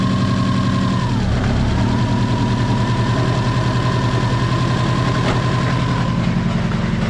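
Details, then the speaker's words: Subaru WRX on jack stands, in first or second gear with no load: steady mid-pitched whine that dips briefly in gear with a rough undertone, rear wheels spinning; gear grinding, clutch or transmission not yet determined. "Something's broken. That doesn't sound too good."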